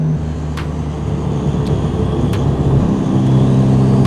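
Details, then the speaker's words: Ethanol-fuelled hybrid-turbo Ford Fiesta ST while driving: after touching the brakes, sharp irregular clicks about every second from the front over road rumble, like a baseball card in bike spokes; cause unknown. "it's like there's a baseball card and a bike tie that sound if i touch my brakes i can hear it in the front"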